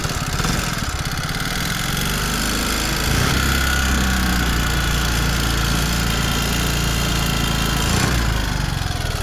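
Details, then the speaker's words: 2023 ZR motorcycle, engine found with almost no oil, no smoke: loose, uneven ticking about three or four a second over lumpy idle; timing chain checked OK, rocker arm worn with seized pin. "So என்ன இது problem பார்த்தீங்கன்னா, இந்த rocker ஆரம் பார்த்தீங்கன்னா போயிட்டு இருந்துச்சு friends. So rocker ஆரம் போயிட்டு இருந்துச்சு, போர் சீஸ் ஆகிருக்கு."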